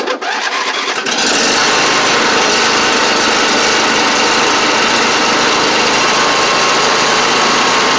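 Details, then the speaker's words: John Deere LA130 Briggs V-twin, about 654 hours, after cylinder head swap for bad valve guide that left it on one cylinder, still warming up: catches, then fast even buzzy beat with no missing, both cylinders firing. "let's still warming up but you can hear it sounds pretty good running on both cylinders now too which is good"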